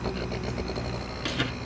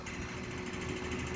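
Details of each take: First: Midea inverter air conditioner, previously very noisy, after a thick piece of rubber was wedged in as a mount: a low steady hum with only a brief light rattle and no heavy vibration buzz; it now runs normally. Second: Midea inverter air conditioner outdoor unit: fast steady buzzing rattle over low hum from the unit vibrating against a loose support that sat too far away; noise stopped when pressed up; extra rubber pads didn't help.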